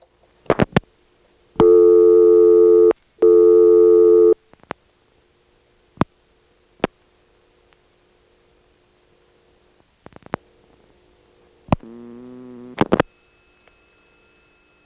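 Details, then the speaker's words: 1978 call from Salt Springs, Florida, to Ocala through a Siemens motor-switch exchange: clicks and tones, then a short falling groan as the motor switch runs past many terminals to the outgoing trunk; normal hunting. "Well, here's a call from Salt Springs, Florida, to Ocala, in which you can clearly hear the hunting operation."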